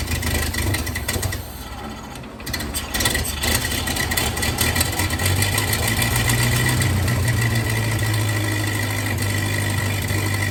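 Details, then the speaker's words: 1931 Ford Model A that sat in a barn for years, started with starting fluid: rough, lumpy idle loading unevenly about two beats a second; timing advanced fully just to idle, timing suspected far off. "so I had to advance the timing all the way down just to get it to really idle so it's uh timing I think is pretty far off"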